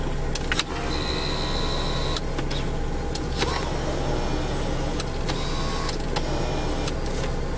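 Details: One-owner 1993 Chevrolet Corvette C4 coupe, 350 LT1, interior: steady electric motor whine starting and stopping as the power seat runs forward and back, smooth and even; seat motor works fine.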